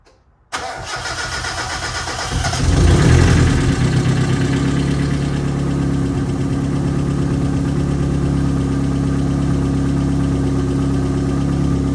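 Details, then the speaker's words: Turbo 1.6 Miata, first start after head updates, new V-band and Link Strada dash install; engine cranks and catches, flares briefly, then settles to an even, steady warm-up idle with a low regular beat. "Let it warm up, give it some time, let it do its thing,"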